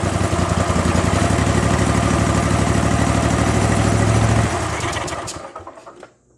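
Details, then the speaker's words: Zero-turn mower with Kohler 7000 series engine after carburetor rebuild (kit 25 757 27-S) for surging at idle, mid and full speed: steady even beat with no surging, then shut off smoothly. "well I think I fixed the problem the surging's gone and uh everything seems to be working as it should"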